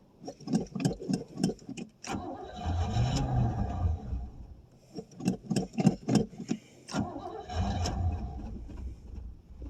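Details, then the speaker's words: 1989 Pontiac Safari wagon, first cold start after 18 years off the road following a deer hit: cranking bursts catch into brief rough runs that sag and die within seconds; owner suspects old gas, plugged carburetor main jets or being nearly out of fuel. "Or it just might be basically out of gas. Okay, it kind of kind of will run. Now I say that."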